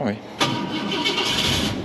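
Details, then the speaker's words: 1966 Ford F-250 Custom Cab, after 5-10 minutes warm-up on half choke, choke pushed fully in: brief crank, catches within half a second, settles straight into an even, steady, smooth idle; healthy start without choke. "voilà magnifique sans action sur la c'est ce qu'on veut et alors qu'est-ce qu'il est doux"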